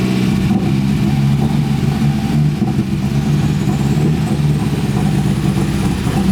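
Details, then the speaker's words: Porsche 924 Turbo that would not run right for years, starts readily but idles poorly: low idle with wavering, stumbling uneven beat; rough running, owner suspects bad fuel or possibly a vacuum leak, compression test planned. "why this is running so poorly let me start it up i'm gonna do a compression test on in a second but i'm gonna start this up and show you how badly it's running"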